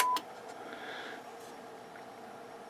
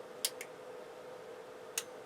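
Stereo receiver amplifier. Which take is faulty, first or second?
first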